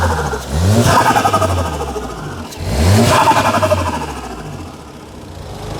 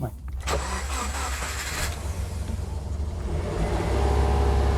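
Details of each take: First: VW Golf at a car auction, intake and exhaust fitted: two clean, crisp throttle blips that rise and fall smoothly with no knocks or misses; engine revs freely and seems to run fine. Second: Auctioned Subaru at start-up on low fuel: low idle rumble surging and sagging unevenly with a faint whine on top; idle hunting all over the place and noisy power steering pump.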